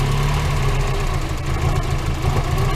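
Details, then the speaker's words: Mazda Miata idling before new NGK plugs and wires: low, uneven, lumpy beat, almost stalling. Owner suspects the wires; a cracked part and one wet spot were then found, and replacement fixed it. "Like, just listen to this idle. Like, just so bad."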